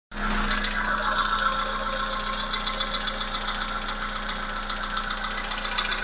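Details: Volkswagen Polo Sedan 1.6 CFNA engine at idle: light, fairly even tapping about three to four per second riding over steady idle; engine knock.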